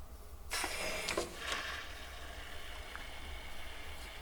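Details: BMW E38 750iL V12 during vacuum coolant fill after holding vacuum 10 minutes with no leaks; the valve opens with a sudden loud hissing rush easing to a steady flow as coolant is drawn in normally.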